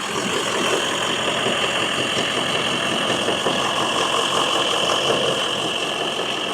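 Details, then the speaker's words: Range Rover L322 just after first start-up following fan belt and oil cooler work, not yet warmed up: an even idle with a steady hum and no belt squeal, where it squealed badly before, so the belt drive is normal. "yeah belt noise is gone straight away squeaky as hell w it horrible yeah no it sounds good mate"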